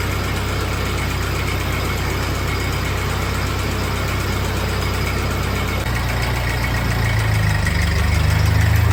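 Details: 1948 Ford 8N four-cylinder tractor idling in neutral on first start after a full engine rebuild, with a new carburetor still needing adjustment; low, steady putter that picks up slightly near the end, with no knocks or misses, a normal healthy idle.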